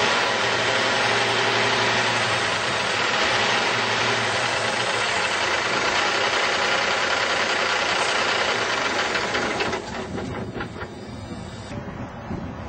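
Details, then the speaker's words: Volvo VNL780 semi with a 450 hp Cummins ISX diesel and 10-speed overdrive autoshift, just started: loud, steady diesel rumble with even clatter that drops and settles into a lower idle; a healthy diesel idle. "This truck has a very fuel efficient Cummins ISX engine, and it's rated at 450 horsepower. Let's go ahead and hear it start up."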